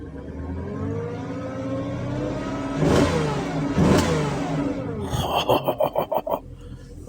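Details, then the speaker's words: 2004 Porsche Cayenne S, low-bid purchase, idling with a check-coolant warning: engine climbs smoothly to about 3,000 rpm and settles back with an even, steady note; healthy free rev. "So, I mean, so far so good, but I don't want to do too much, but it it sounds pretty good."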